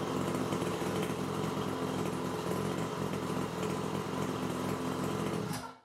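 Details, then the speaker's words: New Nitro Motors Quadro 49cc two-stroke pull-start mini quad, first start: idle set as low as possible so the clutch doesn't half-engage and burn; settles into low, even idle with steady rattle, no surging, then cuts off; normal idle. "so you need to regulate the engine's idle speed to be as low as possible this is very important for the clutch which is located just here"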